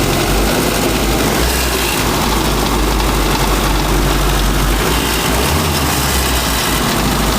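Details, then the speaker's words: 1985 Mazda ute, cold start on choke after new points and sitting two weeks: idles with a loose uneven rattle over low rumble, something loose, source not found; semi-blocked carburettor idle circuit suspected. "And it's running. It's not too bad. It hasn't been started in 2 weeks. Got a bit of a ratty tat-tat noise from somewhere."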